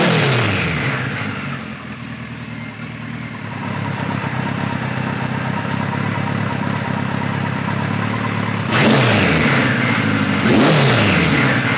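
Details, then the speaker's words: 1973 Kawasaki Z1 900 with 4-into-4 exhaust, air screws at factory 1.5 turns, about 160 degrees, no fan: settles into a steady idle, takes two quick throttle blips and drops back cleanly; running nice and clean. "nice and clean"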